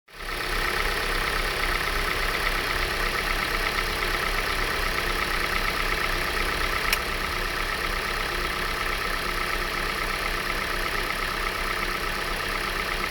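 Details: Hyundai i40 engine at idle; fast, light, slightly uneven tick over the engine hum; owner suspects valve tapping, not confirmed.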